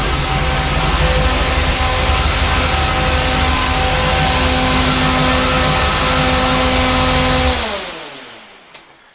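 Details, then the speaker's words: 1973 Corvette Stingray V8 after fuel-line leak fix, warm at about 181–185°, oil pressure good, battery charging: even, steady idle, smooth exhaust note, no misses or knocks, then clean shutdown; sounds healthy. "But this sounds pretty good."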